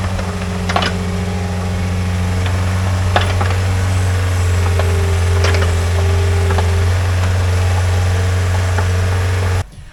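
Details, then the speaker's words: Pel Job LS2000 excavator after the Rexroth A10VO28 pump repair, standby pressure set to 30, main pressure set toward 250: deep, steady diesel drone with an even low hum and a few light clicks. Normal running. "Now I'm really happy. The excavator is doing perfectly. It's functioning exactly as it was like when I just got the pump restored."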